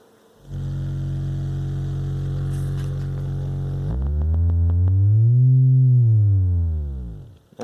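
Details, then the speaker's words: Realistic MC-800 speaker after repair of a cabinet noise source, sweep starting around 45 Hz: clean low tone sweeping up and down with no buzz or rattle; woofer and tweeter both work, fixed. "good there all right so that's good just run some music through it real quick both woofer and tweeter work"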